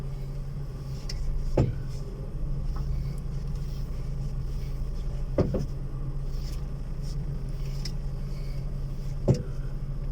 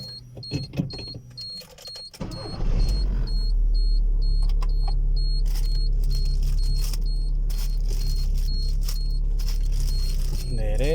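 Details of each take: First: Single dull clunks every few seconds over a low engine hum on a Volkswagen Fox when steering left or right and driving straight; the noise seems to come from one side, traced to loose suspension mounting bolts. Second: Volkswagen Fox, after suspension repair for a noise when turning (bearings, broken bolt and loose base replaced/tightened): engine idles evenly under a chime while the wheel is turned both ways, no clunk, knock or creak; steering quiet.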